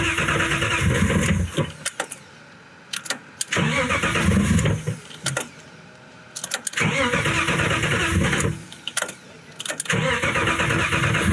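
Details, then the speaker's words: Boosted BMW E36 after valve cover and cam work, first start attempt: four cranking bursts that turn over but never fire; thought to be out of gas at first, later found not firing on three cylinders (possibly 3, 4 and 5), owner suspects an electrical signal fault. "We did some digging to figure out why the car didn't want to start. And basically, it is not running on three cylinders."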